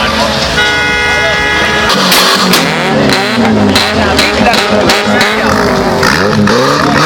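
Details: BMW E30 with M10B18 engine and factory exhaust system, revving: revs rise and fall with uneven sharp pops and stumbles breaking through the exhaust note, a misfire under revving.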